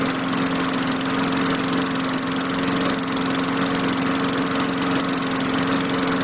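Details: 2003 Craftsman mower with a 4.5 HP Tecumseh engine, fitted with a replacement LEV 100–115 carburetor: small single-cylinder engine holds a steady, even governed speed with no surging or misses. Runs clean.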